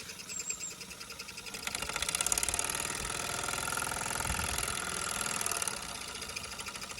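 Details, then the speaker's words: Mamod Steam Wagon after the regulator is eased back toward shut-off: soft, quick chuff of about three beats a second that holds steady at low steam without dying. Healthy slow running. "off there it's probably going to die no it's not look how nice that is"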